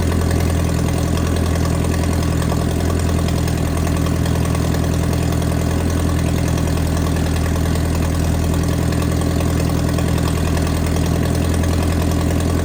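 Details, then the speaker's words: Mercruiser 3.0 marine engine with cracked block, running with water hooked up: warm deep idle with slightly uneven lope about three pulses a second, possible miss; owner suspects head gasket. Uneven idle. "hey Daddy it might be a head gasket see how well it's running right now when I turn the water on has a mire"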